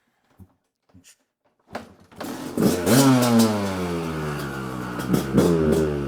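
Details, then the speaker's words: Kawasaki KDX200 two-stroke, first start after a brand-new top end and piston, choke on; fires after a few kicks and revs cleanly with crisp crackle, no misfire, and light smoke. Normal running. "smells good little cloudy it's good for the sinuses when you got a little bit of a congestion some two-stroke smoke is sure to fix it"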